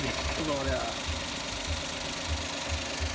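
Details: Engine with suspected bearing (metal) failure idling after MotorUp oil additive was added and left idling: dull, regular bottom-end knock about three times a second under the engine note; additive did not help, cause unconfirmed.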